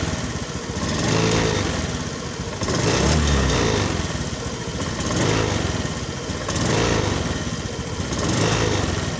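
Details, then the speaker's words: Honda Beat ESP scooter, complaint of feeling heavy and powerless when throttled; revved in slow lazy swells about every two seconds, climbing sluggishly without crisp pickup: hesitation and lack of power when revved, cause not yet identified. "Dan di kesempatan kali ini saya dapat garapan motor Beat ESP yang ini dimana kendalanya motor berat dan tidak bertenaga."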